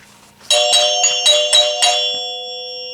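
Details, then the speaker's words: 1974 Gottlieb Magnetron EM pinball three-chime unit after rebuild: five quick bright strikes ringing out and sustaining, no plunger clack because the plunger bounces off a seal below; working properly. "No clacking because of that seal down in here. That's what it's bouncing off of."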